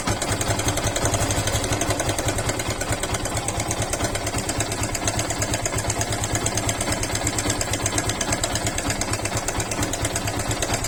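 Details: Yamaha FZ/Fazer single-cylinder motorcycle idling with a busy, sewing-machine-like ticking rattle from a slack timing chain, fixed by replacing the timing chain tensioner.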